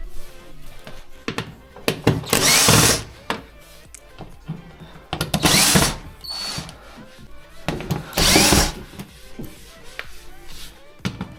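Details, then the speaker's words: Electrolux washer-dryer that has long been knocking during the wash. Heavy thuds and clattering surges every few seconds as the drum turns. The drum pulley where the belt fits is cracked and loose on its shaft and needs a replacement ordered by model. "здесь шкиф разбит куда ремень надевается видите он болтается и вот это вот оно даёт звук"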